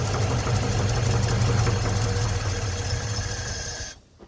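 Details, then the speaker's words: 1956 Ford truck with 45,000 original miles, sitting over 40 years, with a newly installed rebuilt starter: steady, even, strong cranking at about four turns a second until it stops; the starter spins the engine over properly. "We've installed a new starter. And we're gonna crank it up and see if she does anything."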